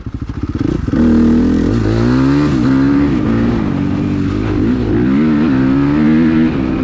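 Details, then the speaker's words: Suzuki RMZ 250 with rebuilt Rekluse auto clutch to fix stalling, about 4th gear at high speed, rear brake locked and wheel sliding: engine pulls hard, revs sag but it keeps running without stalling. Normal running under hard braking. "Locked the rear brake, it is sliding the rear wheel, the motor did not stall. I was in about 4th gear."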